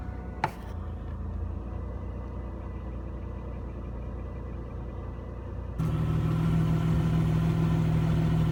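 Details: 1997 Chevrolet Camaro RS, 3.8L 3800 V6, restarted after replacing the damaged cylinder 3 plug wire for a P0303 misfire: cranks, catches, then settles into a steady, even, smooth idle with no stumble.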